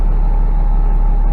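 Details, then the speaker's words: Cummins ISX diesel after fixing rough idle with new timing and fueling actuators, fuel pump relay, Jake harness and cam sensor: deep, even idle with a steady low throb and no misses or knocks; running smoothly, fixed. "It's just idling smooth now. So I'd say this one's fixed. It's running great."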